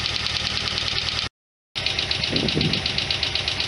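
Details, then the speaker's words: 1991 Lotus Elan idling while warming up after cooling system work, with a coolant leak still present. A light, regular tick about four times a second rides over the idle; the owner suspects a lifter click, source not found. "i'm gonna let this run for a bit hopefully we'll get warmed up i got like a lifter click going in there somewhere"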